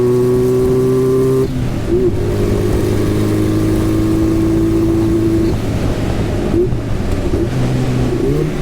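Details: Turbocharged Goblin race car on track at Black Hawk Farms, never ran right since the turbo swap: hard full-throttle pull that cuts out and stumbles, shooting fire and black smoke; breaking up under load, problem later found and fixed.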